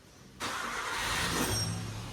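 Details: Nissan Sentra B14 EX saloon that cranked without starting, now firing after distributor ignition work: engine catches abruptly after a moment of quiet, then settles into a steady, even idle with no misfire.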